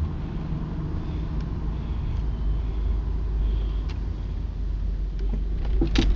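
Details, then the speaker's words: Lexus SC300 driving after lower control arm replacement and alignment: low road rumble with a few sharp pops from the suspension; owner suspects upper strut mounts or blown struts. "uh just have my lower control arms replaced and just had alignment done and it's making this really weird popping sound um my thought is maybe upper strut mounts maybe the struts are blown"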